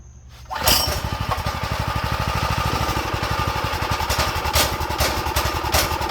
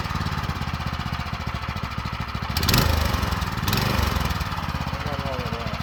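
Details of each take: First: Go-kart small single after draining the fuel bowl and tank and refilling with new fuel: fires up into a fast, mostly steady chatter with uneven beats, idle low; owner suspects dirty carb jets, emulsion tube and main jet. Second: Used go-kart with a small single-cylinder engine that has compression, possibly run without oil (owner feared a bottom-end bearing), with likely fuel in the oil: quick, even popping beat with no knock or rattle; sounds healthy.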